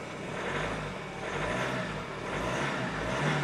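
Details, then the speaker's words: Hyundai Santa Fe I 2.0 CRDi diesel after partial repair, considered fixed: steady even idle outdoors with soft low rumble and slight background noise, no misfire or stumble; running normally. "W każdym razie samochód już w tym momencie można powiedzieć, że jest naprawiony,"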